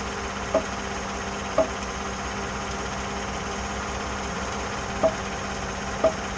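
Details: 2014 GMC, at standstill with the steering wheel turned under load, after power steering motor replacement and dealer reprogramming: four sharp single pops about a second apart over a steady idle; no popping while moving; cause unknown.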